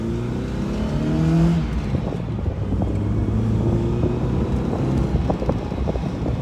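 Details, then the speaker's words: NA Mazda Miata after cam gear re-torque and reassembly, on a road test drive: engine pulls smoothly and evenly through the revs under road noise, no knocks or misses; normal running. "it sounds good sounds really really good"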